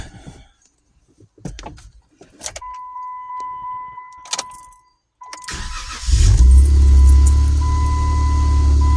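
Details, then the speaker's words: 2014 Jeep Wrangler no-start, fixed by replacing a failed starter relay: a quick crank, then the engine fires and settles into a smooth, even idle. A normal start after repair. "Come in here. This shit's fire right up"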